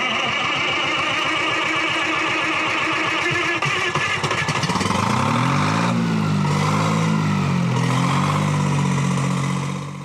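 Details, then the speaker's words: Detroit Diesel 3-71 two-stroke power unit from a 1959 Marion Crane, driving a sawmill, cold start after about 3 hours of 500 W block and oil-pan heaters and no ether: catches quickly, then rough beat smooths into an even rising roar with throttle. "Previously, I would have needed ether. This engine just really doesn't like starting when it's cold. So I guess the block heater experiment worked."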